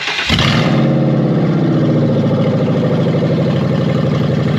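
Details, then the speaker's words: Ex-police Ford Crown Victoria (2000/2002) with catalytic converters removed, stored for years, no alternator belt: starts after a brief crank into a deep, loud, raspy idle burble that runs fine. "yeah it's a little bit loud so it's a lot loud it runs just fine there's no alternator belt on it it sounds like it should sound"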